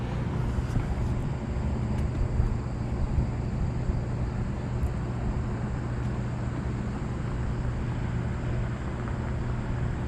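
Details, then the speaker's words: Rooftop AC unit's fan motor, after separating the gasket material on the motor that had been causing a noise: a smooth, constant low hum with even airflow and no rubbing or ticking. It sounds like a regular fan motor now. "all right guys I got her back on that sounds a lot better since I separated that little gasket with your material on there"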